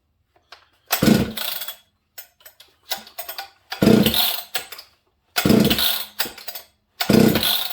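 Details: Husqvarna saw with opened muffler, high compression, not run in a while, started with choke on a bench; loud, crisp revving bursts with throttle blips and sharp raspy exhaust, a strong, healthy saw.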